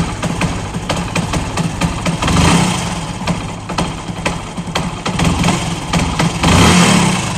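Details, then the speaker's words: Cold motorcycle before repair: starts, then dies unless throttle is blipped repeatedly for a long time, with an uneven, stumbling beat between revs. It won't idle cold and jerks at light throttle; the cause is a misset carburettor needle. "अब जैसे इसको start किया automatic बंद start हो रही है लेकिन क्या है क्या पूरी तरीके से इस तरीके से करते रहो काफी देर तक तब जाके यह चल पाती है फिर बंद स्टार्ट हो रही है"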